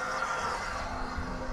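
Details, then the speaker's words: 2021 Ford F250 6.7 Powerstroke after a fuel filter change, key on with the engine off during priming cycles: a steady whirring hum with a rough, uneven buzz as the lift pump purges air from the system. "this is why you got to cycle this thing you got to get all the air out of it"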